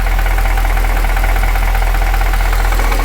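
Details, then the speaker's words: Engine on first start, warm idle with 36 psi oil pressure: light, fairly quick tick over the engine, some burning off; top-end valve train noise, cause not pinned down, owner unsure if normal; top end ticking at idle. "That's definitely top end sounding. I'll give it some revs and see if oil pressure helps that. And there's all kinds of interesting noises happening. I'm not sure if that's normal valve train noise or not. It seems kind of loud."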